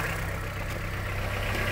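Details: Honda CR-V 3rd generation 2.4, cold idle, in drive, after oil change to Rolf 530 plus a thick additive: faint, even tapping over the low hum, a knock from inside the engine, unchanged by the oil; power steering pump also suspected of noise, source unconfirmed. Engine knock.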